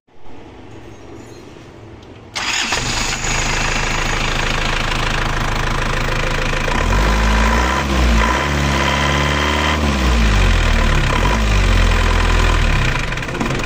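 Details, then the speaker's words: Diesel engine after rebuild with new rings and timing gears, first ran rough; after retarding injection pump timing slightly, it cranks, catches and settles into an even, smooth idle with no harsh knock. "halus [Musik] [Musik] oke Sekarang suarnya kan sudah halus kan sudah halus"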